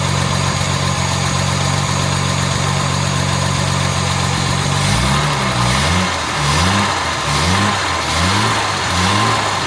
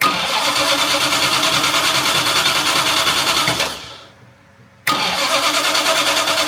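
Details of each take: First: Jaguar MKII after water pump work, radiator refitted and coolant refilled, idle around 800 rpm: steady, even low beat with a few faint light rattles; engine sounds healthy overall, normal idle. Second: Jaguar MKII after reassembly and water pump work: cranks, catches, dies briefly, restarts into busy, slightly uneven shaky idle needing throttle tickling; charging reading only 11.9 V, owner suspects faulty alternator.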